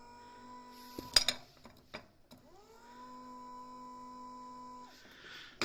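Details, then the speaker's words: BMW E60 electric tow-hitch motor bench-tested on 12 volts: the small motor spins up quickly to a steady, even whir for about two and a half seconds, no grinding or stutter; it runs fine. "Motoru çalışıyor şöyle size göstereyim motor gayet güzel çalışıyor"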